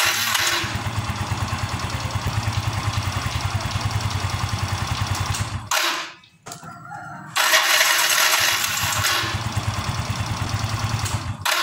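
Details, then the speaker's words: Yamaha Mio M3 scooter idling evenly, then a rough, grinding growl when the starter is used and when the engine is switched off. The starter motor is fouled with brush dust. "jadi begitulah saat di double starter setelah di double starter maksud saya di sini muncul suara dan ketika mesin dimatikan di sini juga muncul suara ngorok"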